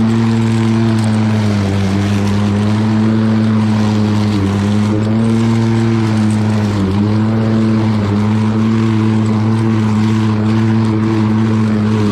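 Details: Lawn Boy all-wheel-drive mower with Kohler engine, cutting and bagging grass: strong, steady drone dipping only slightly as it takes load; normal running under load.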